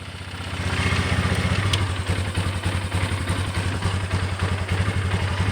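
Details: Polaris Sportsman 400 ATV single-cylinder idling with low uneven stumbling thump; runs good, but problem appears once the battery is unhooked; cause unknown.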